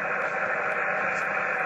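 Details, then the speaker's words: Home HF station with Antron antenna on the garage: steady hiss and rushing noise, S6–S9 noise floor on 17, 15 and 12 m bands with no signals; unknown local interference, reception good when portable. "15. F6 S7 all the way through the entire band that's why I kind of threw the toys out of the program really uh when the game master um came Acro Up on the Roof same with 12. all noise no signals all noise"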